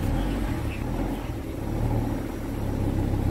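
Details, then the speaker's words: Volvo V70R wagon with gearbox shifting problems, low power and error codes, cold start: a solenoid clicks in the engine bay, then idle surges and sags for about five seconds before settling; idle hunting, cause unknown. "yeah so solenoid clicks in the engine bay and then it hunts for about five seconds and then stops"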